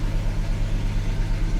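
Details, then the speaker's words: 1988 Jaguar XJS V12 cold start in winter; it quits after about 15 minutes with no spark: lumpy uneven idle pulsing several times a second, not firing on all 12, blamed on fouled plugs from a year of short runs; plugs to be replaced. "it doesn't run all 12 but that's really cuz it's only run like 15 minutes at a time for the past year so the plugs are pretty bad on it it gets better after a while"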